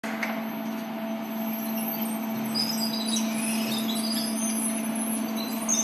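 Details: LEO elevator drive unit running: steady low hum with a clear mid tone above it and scattered high chirps; drive unit squealing, cause unknown.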